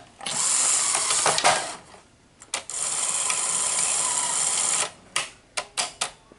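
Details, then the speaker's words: Sony SL-HF900 VCR after replacing four bad capacitors on the idler motor circuit board and cleaning sticking solenoids: hissy whirring with sharp clicks as the solenoids now engage normally. "okay it's it's gonna work because you can hear the clicking so the solenoids are now engaging like they should"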